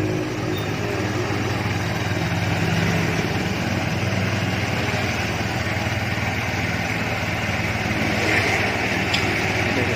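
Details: Honda Vario scooter that wouldn't start, after replacing the dead CDI: small single putters at a steady, even idle with no misfires or stumbles, running properly now.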